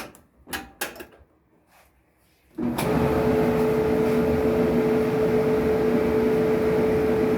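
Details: Kenmore dryer that squeaked, after its worn drum support wheels were replaced with new ones; the owner suspects the felt seal also adds noise and plans to replace it. After a few handling knocks it starts into a smooth, steady hum with no squeak: running normally.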